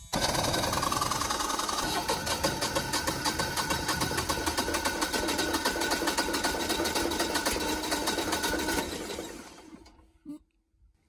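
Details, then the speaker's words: First-ever start of a newly installed Generac 24kW standby generator, oil checked: the starter chugs rapidly for about nine seconds without the engine catching, then cuts off; the owner suspects air in the fuel lines. "of course it's never run before so there's probably air in the lines it's probably going to take a little while"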